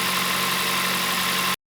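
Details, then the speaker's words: Kia Ceed 1.6 G4FC (2009, 238,000 km) after full engine rebuild with sleeving, warmed to operating temperature: brief, quiet, even idle with a soft hiss and no knocking or ticking; normal idle. "Работает ровненько работает. Тихо. Красота."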